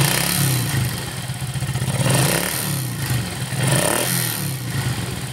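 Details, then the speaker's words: Yamaha Force two-stroke, smooth when first started but rough once somewhat warm, hard starting and weak power: revving brings a dry rapid metallic clatter climbing with rpm; piston slap from worn piston and bore, valve leakage also blamed. "Nah itu Kedengaran ketika sudah agak panas sedikit kemudian kita gas naikkan rpm-nya terdengar sekali bunyi kemelatak kataklatakatakatak Sepertinya sih di bagian sehar"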